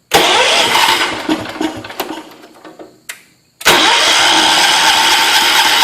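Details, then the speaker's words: John Deere 210 tractor catches and runs, then sags, sputters and stalls when throttled up before picking back up rough; carburetor mixture and choke/throttle adjustment still need work. "I'm having a little trouble with the mixture because if you throttle it up it sometimes it'll stall a motor out so let's try it it sounds like it's trying to go yeah it's tricky it needs a little bit of work"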